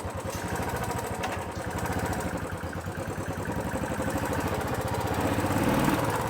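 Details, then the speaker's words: Royal Enfield Classic 350 at idle and on throttle, before repair: fast, uneven ticking about four per second that grows with revs, from loose cylinder-head valve guides, not the hydraulic lifters, plus slight timing noise; valve guide tapping noise. "ये आवाज़ hydraulic की नहीं है, ये head की गाइडों की आवाज़ है बस।"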